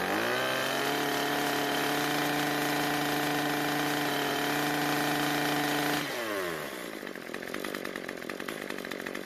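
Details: Cub Cadet two-stroke trimmer that died at idle, apparently starved for fuel. After turning the L screw about a quarter turn counterclockwise, it holds a steady high buzz, then drops cleanly to a settled idle without stumbling or dying.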